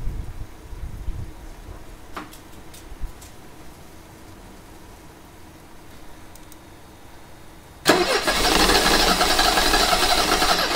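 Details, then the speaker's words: 1985 Mercedes 190E with KE-Jetronic and a rebuilt fuel system, fuel pressure raised from about 60 to 72 psi: a long stretch of weak, uneven cranking before the engine suddenly catches with a loud roar. Hard starting. "so we're super close we're almost at that was like 72 psi and she sounded like she wanted to she really wanted to"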